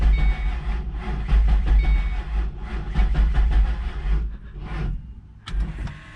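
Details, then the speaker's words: Supercharged 3V Mustang GT with 6R80 swap, first start after fixing the starter relay jumper: starter drags the engine slowly and unevenly in weak pulses, never catching, because the battery is low. "Dang it. Not enough charge on the battery, guys, but you heard it turn over."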